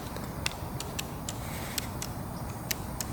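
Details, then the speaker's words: Tamron 24mm F/2.8 Di III OSD M1:2 lens on a Sony full-frame mirrorless body. About eight sharp, dry, uneven clicks over a faint hiss as the autofocus motor hunts. Audible, less robotic than the 35mm, but not too noticeable. "doesn't have quite the robotic sound, but it does make that clicking sound as it's focusing in. Again, not too noticeable, and I'll have to say the more I've used these, the less I have noticed that."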